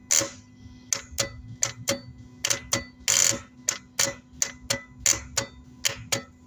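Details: Starter that will not crank, giving sharp, dry clicks about two per second with no cranking underneath. Clicking usually points to the solenoid, but here the starter brushes are worn out.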